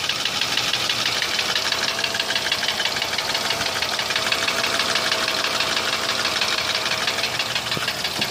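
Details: Mercedes W163 ML320 engine that started knocking after an oil change. A sharp, rapid knock of about three beats a second sits over a steady idle; the cause is undetermined.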